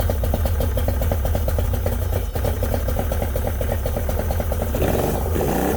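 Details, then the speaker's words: Yamaha 90hp two-stroke outboard on a 16 ft bass boat, unrun for a couple months, starts right up but idles lumpy on two of three cylinders; number 2 (middle) won't fire despite carbs cleaned twice and plugs and coils swapped. "She starts right up, but will not run on all 3 cylinders. Number 2 will not fire."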